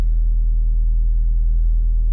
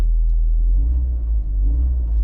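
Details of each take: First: VW Golf Mk4 1.8T idling with fuel pump fuse removed before pump replacement, left to run until it dies: deep uneven, lumpy idle as the remaining fuel runs out; fuel starvation. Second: VW Golf MK4 1.8T after fitting an uprated APS 265 lph fuel pump: steady deep idle rumble with an even beat, no stumbles or surging; new pump quieter than the old, car now idles properly.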